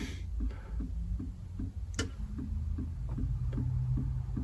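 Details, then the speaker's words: 1999 Honda Odyssey, HVAC control module lights blinking and blend doors not moving, actuators unplugged: steady relay clicking about four times a second from the lower fuse box, rear defroster relay trying to engage; defroster not working. "the rear def Frost doesn't work either but I hear it clicking like it's trying to engage that relay for the RAR defroster but it's like blink blink blink blink"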